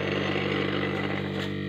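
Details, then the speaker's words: Refrigerator compressor after repair for lost compression, R134 oil added, mains-powered, discharge pipe blocked by hand: steady motor hum with strong gas hiss, too strong to hold; normal compression. "Ini tangan saya nggak kuat teman-teman. Ini kencang sekali ya teman-teman."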